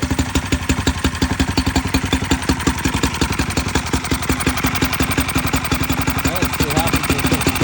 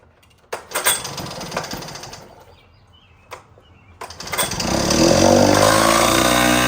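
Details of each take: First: Mercury outboard revived after sitting: crisp, even firing at a steady fast pace with no misses or knocks. Running normally. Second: 1960s Cal Jet two-stroke outboard that sat for years, run in a water bucket after fresh fuel, choke on: a few clatters, then it catches and buzzes up unevenly with rising revs. Runs, but not crisply.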